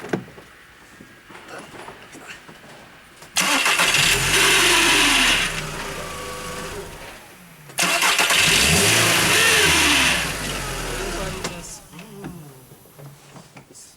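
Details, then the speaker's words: 2001 Skoda Fabia 2.0 115 hp (engine code AZL): loud high steady squeal for about four seconds on each of two start attempts while cranking; starter motor suspected, 99% sure, to be removed and inspected. "bei manchen Autos ist ist Geräusch auch ein bisschen heller und bei manchen ist nicht so und zu 99% würde ich sagen ist ist der Anlasser"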